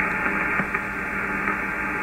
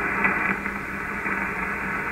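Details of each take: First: HF ham radio receiver on medium wave near 474 kHz: steady hiss with fine buzz and faint low hum across the band; interference traced to an ungrounded power supply of the internet provider equipment, eliminated once fixed. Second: Ham radio receiver on the low end of medium wave near 474 kHz, after grounding the ungrounded fiber internet terminal: only a soft, steady hiss with no buzz or whine; interference eliminated, clean noise floor.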